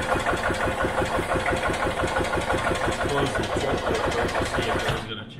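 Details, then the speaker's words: 1986 EZ-Go Marathon golf cart with choke pulled but not returning: steady cranking chug about three beats a second that never catches, then stops; no start because fuel isn't getting into the carb. "so like with most old vehicles we're having an issue getting the fuel into the carb"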